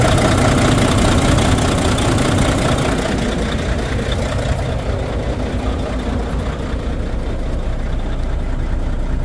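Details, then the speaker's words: Volvo VNL truck with D13 diesel engine: loud, heavy knock in time with the rough, unstable idle, about two and a half a second, with low power and misfire; the sound stopped when one injector was cut, a broken injector suspected. "So that only leads us to one problem, and that is a broken injector. And of course, it might be a broken injector because we have a noise, we have low power, and the engine doesn't run stable."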